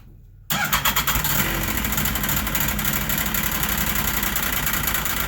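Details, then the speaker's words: Carbureted snowmobile/ATV engine after storage, started with a gas-soaked rag draped over it: it fires almost at once, surges unevenly for about 20 seconds on fumes because the carburetors are dry, then settles to a fast buzzy idle. "you heard it start right away and there was probably a 20 second period where it was struggling to run as the carburetors were dry and it was only running on the fumes"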